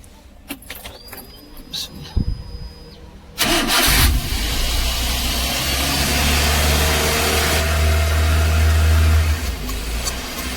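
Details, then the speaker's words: Daihatsu engine with electronic throttle body cranks then holds a high, racing idle that doesn't settle, using more petrol; fixed by cleaning the throttle body and refitting the old sensor. "इसका वजह से petrol भी ज्यादा पीता है य क्योंकि ज्यादा रेज हो रहा है गाड़ी"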